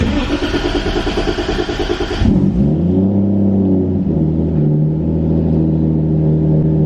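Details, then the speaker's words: Toyota Supra with new fuel system and VE-based ECU, first start; starts right up, rich on start (air-fuel around 10.6–10.7 rising to about 14), revs drop into a smooth steady idle, even low drone, no misses; normal idle. "right up. I love VE-based ECUs. Starts right up. Look how rich it is on start."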